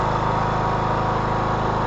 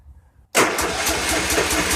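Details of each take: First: 2014 Troy-Bilt Bronco with Kohler 17 HP Command engine, after adjusting the choke/throttle cable: steady even single-cylinder drone at constant speed, no misses or surges; normal running, full carburetor control restored. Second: 2014 Troy-Bilt Bronco 13WX78KS011 with Kohler 17 HP, recently tuned up: starter cranks evenly about six seconds without catching, pauses, cranks again; no start because choke not engaging, fix by adjusting throttle/choke cable.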